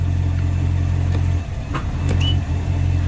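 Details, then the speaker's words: Volvo Penta 6.0 marine inboard after head gasket install, shifted into reverse at idle: steady low drone, one brief soft clunk with slight dip as reverse engages, then even running; clean shift. "let's shift it see if he shifts [Music] forward"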